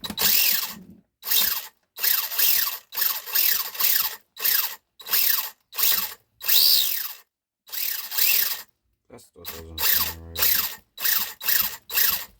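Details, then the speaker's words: Traxxas LaTrax Prerunner after a brushless motor and ESC upgrade on 2S LiPo: short bursts of high grinding whir as the motor is blipped, a harsh gear scream suggesting a tight pinion-spur mesh; it sounded better once loosened. "All right, loosen it up a little bit. That sounds better. That sounds a lot better."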